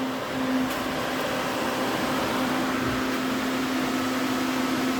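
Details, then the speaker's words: DA Integra electric cooling fan running again on new 30A relay with factory OEM fan switch, engine off on battery: steady whooshing airflow, constant low hum, no rattle or rubbing; fan runs smoothly. "and there's the fan doing its job again blowing nice cold air"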